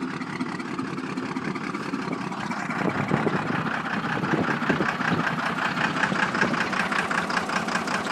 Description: This is my 1993 first gen cummins missing!!! End result was a blown head gasket. About a nickel size hole in the gasket between #1 and #2 hole which is the cause of the dead miss on 2 cylinder.